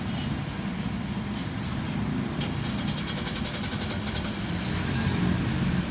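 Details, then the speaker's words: Suzuki Ignis K12C after head gasket replacement, which had previously refused to idle and only ran above about 3000 rpm: low, even hum with no misses, knocks or hissing while warming up at idle; the engine runs healthy. "कोई sound नहीं है गाड़ी में कोई कुछ नहीं है गाड़ी मालूम ही नहीं पड़ा गाड़ी स्टार्ट है"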